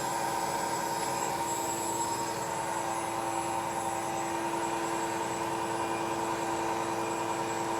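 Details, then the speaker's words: New KBC Tools milling machine, first cut with new Walter tooling machining a T-nut, after belt dressing, feed increased: steady even cutting tone, constant loudness, no chatter or squeal; cutter and machine smooth. "definitely making some chips cutter sounds good nice and smooth the machine sounds good"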